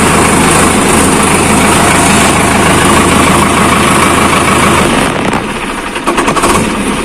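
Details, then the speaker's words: Sonalika tractor diesel that stopped starting, started after a fix: steady, even chug with no knocks or misses, settling to a normal idle. "तो अभी आप लोग देख सकते हैं यह ट्रैक्टर ऐसे करने पर स्टार्ट हो गया"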